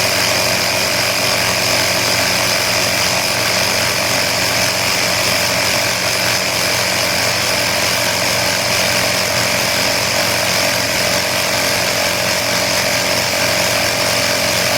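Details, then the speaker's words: Air Hawk Pro tire inflator compressor running normally, set to 24 psi on a tire let down to 16.5, with quick-release extension hose fitted: constant, even buzzing drone unchanging throughout; normal running. "okay we're back so i've got it hooked up now and i am about to turn it on we've got it set at 24."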